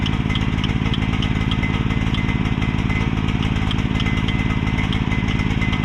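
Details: Mini excavator with pull start, bought broken from a neighbor and just repaired, left running while the track goes back on; small single-cylinder engine chugging unevenly with a heavy, rich beat at steady speed, smoking because the choke was never turned off.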